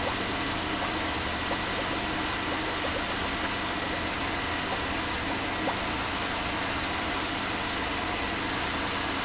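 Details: 2005 Chevy Uplander 3.5L V6 after replacing a water pump that rattled on startup and leaked coolant: steady even idle with no knocks, ticks or misses, just a smooth hum under a hiss; the engine sounds healthy.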